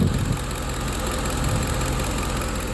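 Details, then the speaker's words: 2010 Ford F-150 4.6 V8 just reinstalled after a rebuild with exhaust leaks fixed: smooth, even idle with a steady low rumble. A brief initial miss cleared after a couple of minutes. "took a couple of minutes for the mist to get out of it but uh it sounds really good"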